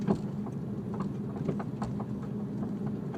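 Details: Infiniti G37X sedan with BC Racing coilovers, noise since install ten days earlier: scattered sharp clunks and rattles at uneven intervals over quiet road rumble; suspension clunk over bumps, cause not confirmed.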